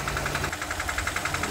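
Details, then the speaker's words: Kia Cerato 1.6 automatic: sharp metallic knocks about eleven per second, loud in reverse or drive, barely present in park, mistaken for engine knock even after chain and tensioner replacement; cracked flexplate. "стук идёт из-под капота Ну вот такой звук у нас идёт когда коробка стоит либо на задней скорости либо на драйве либо на нейтралке то есть на паркинге такого звука практически не ощущается чуть-чуть"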